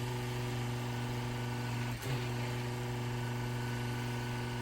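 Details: Brand-new pressure-washing skid pump, no accumulator: after adjusting the 2 mm Allen pressure screw on top, a steady low drone holds even after one brief dip. The earlier on-off ticking is gone, and the pressure is about right.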